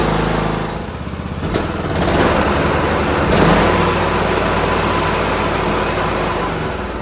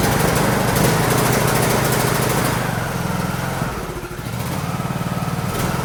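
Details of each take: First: John Deere D105 lawn tractor Briggs engine after carburetor cleaning and hooking the spring back up: even, steady drone holding speed without surging, sounds way better, running smoothly. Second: John Deere D105 lawn tractor with Briggs engine and 42-inch deck engaged, engine beat swelling and dipping; engine surging. The owner suspects governor hunting causes the deck vibration, which is smooth when idled down.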